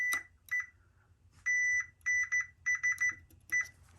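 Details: Multimeter continuity test of coil pack harness wiring on a Chevy Tahoe with P0300 multiple misfire code, coil packs swapped from another Tahoe: short, clean, high beeps in quick bursts; every pin shows continuity; wiring good.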